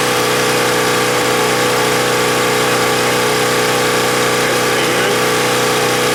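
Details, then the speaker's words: Husky 1850W generator, about 5 hp, Mikuni T3044 carburetor converted to natural gas after failed cleanings: steady even hum, constant note, no hunting or surging; runs better than on gasoline; normal running. "and it's running better than on gasoline"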